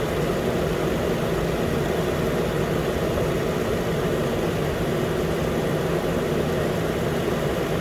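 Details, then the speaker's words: 2013 Nissan Pathfinder, 265k miles, after new AC clutch and serpentine belt; compressor clutch engaged, running as cabin is hot: steady even idle, smooth low hum, no knocks or squeals; normal. "yeah now the compressor is gonna rotate for a while because the car inside is pretty hot so it's not gonna stop the clutch or not"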